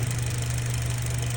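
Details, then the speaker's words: Mitsubishi Cross 2019, 65,000 miles, CVT: steady, low engine hum with no turbine whine on top; noise gone immediately, likely from dirty or wrong transmission fluid. "Pero oigan, ya no hay ruido de turbina, escuchen."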